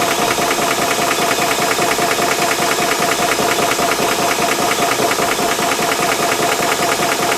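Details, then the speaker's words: Ballistic 12V 3-stage 350 W PCP compressor filling a rifle, around 2500 psi, temperature rising; steady even pumping pulses about 2.5 a second over thin whine, nothing rough; filling normally. "Other thing to mention as well is you obviously can hear the noise coming from the compressor, so be prepared for a little bit of a little bit of noise while filling up your gun, but once everything is full, then the fun starts."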